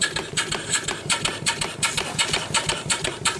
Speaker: so that's a good running little engine